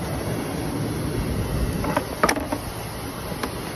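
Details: 2001 Chevy Suburban just after alternator replacement, charging at a little over 14 volts: steady low engine hum with a few light clicks and no bearing whine or growl; much quieter than the rough running before.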